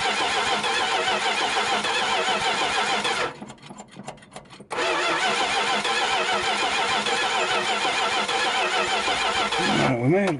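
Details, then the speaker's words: 1973 Dodge D100, first start attempt after 10 years sitting, fuel just hooked up: steady starter cranking at about 200 beats a minute, a pause, more cranking, never fires; carburetor float suspected stuck closed. "get our Teeter bottle there float might be stuck closed on it"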